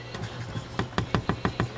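Six sharp knocks about a sixth of a second apart over low mains hum; a dry, worn tuning wheel shaft knocking as it turns.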